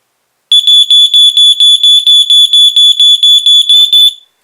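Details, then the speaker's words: Sears (Nalcor) 462.57474 smoke detector dated October 1987, electronic piezo horn, test button pressed; shrill high-pitched horn (about an A, near 3.5 kHz) pulsing in 4/6 pattern with LED flashing in step, clean and strong: normal test tone. "you can hear it has a pretty high pitched for six I'm not that pitcher might actually be Nathaniel's favorite pitch which is an A and you saw that the LED flashed in pattern with the horn"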